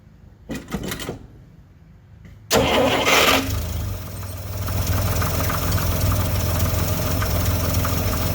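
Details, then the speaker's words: 1964 Dodge D100 Utiline on first run in 35 years, with new plugs and wires and a temporary gravity feed to the carburetor: cranks, catches and settles into an uneven, lumpy idle with lots of smoke; rough running. Timing needs setting, and the dirty carburetor makes it die when throttle is applied. "starts right up and chris wanted to see the smoke i have a lot of smoke under there now i just gotta get it timed right and"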